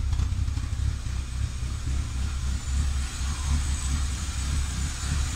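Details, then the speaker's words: 2004 Chevy C2 Comfort, standard: deep lumpy, irregular idle with dips and surges; oxygen sensors not working, causing poor combustion and smoke, and oil leaking at the coil cover gasket. "ahí está la captura como puedan escuchar la marcha es completamente irregular"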